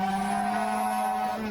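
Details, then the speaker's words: Seven-inch FPV quadcopter flying on after a crash: strained, steady motor whine with a rough, wavering hum underneath as it struggles; a broken propeller is suspected. "it's a falcon 7 okay it's not a wing oh okay that to me sounds like you broke a prop"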